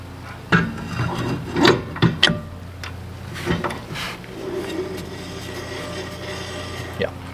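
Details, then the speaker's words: RV wheel after a brake adjuster is lengthened to spread the shoes, hand-spun: a soft, intermittent rasping rub that fades as the wheel slows; the brake shoes are dragging only lightly on the drum. "I like that. I can hear the shoes dragging just a little bit."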